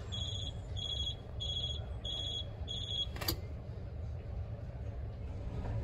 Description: 1:11 悠遊卡を挿入したまま受話器を下ろすと警告音が鳴る